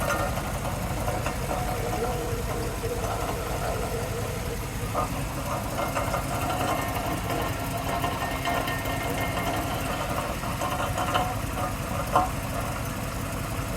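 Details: 2002 Cadillac Escalade EXT at idle with faint irregular light knocks and a rough clatter underneath; the source is unknown, one suspicion is the transmission although the truck drives fine, and much oil is found.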